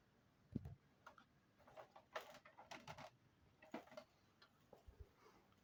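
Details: 2005 LG Flatron L1510M 15-inch LCD monitor on AC mains: faint, uneven ticks and clicks about every second or two, along with image jumps and unexpected shutdowns; cause unknown.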